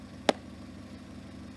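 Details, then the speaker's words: 2008 Opel Astra after replacing the third ignition coil, which seemed to fix it: one click, then a low, steady, even idle with no miss. Somewhat loud from an exhaust leak, suspected at the flex pipe. "running running smooth little loud and that's because of the exhaust leak and I think it's the Flex pipe I'm not quite sure to figure that out next but my main goal was to get it running and get it running right"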